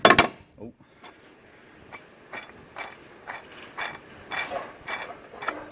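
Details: Old water pump removed from VW 2.0 TDI during timing belt job, turned by hand; rough gritty scraping in uneven bursts. Worn water pump bearing.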